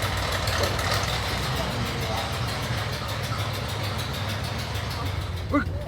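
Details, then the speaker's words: Prerunner engine idling steadily with a light puffing tick like an exhaust leak, actually gas escaping from a hole in the cylinder head left by a machinist; heads to be replaced. "that sounds like an exhaust leak but really it's a hole in the head put there by a machinist a man did that man"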